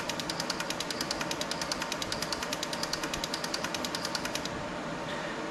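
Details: Six fuel injectors on bench testing unit, pulse injection test checking firing and solenoids: crisp even rapid clicking about nine per second, then stops; all injectors firing cleanly, flow readings close across.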